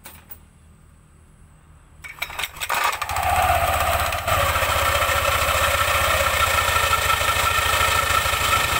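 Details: Yamaha NMAX scooter making a quick metallic krek-krek clacking while hand-started, then catching and running steady; the rattle was traced to a loose nut that had come off.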